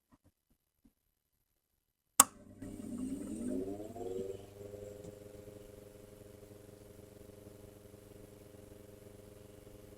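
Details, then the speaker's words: Gibson 79 RTV amp in for a checkover, motor powered up with audio boosted: a click, then a rising hum settling into a steady buzzy drone with a faint whine. Noisy motor, cause not yet determined. "But I think what we'll do first, um, is is power it up and have a listen to this motor. See if we can work out why it is noisy or at least listen to the noise and make a determination from there."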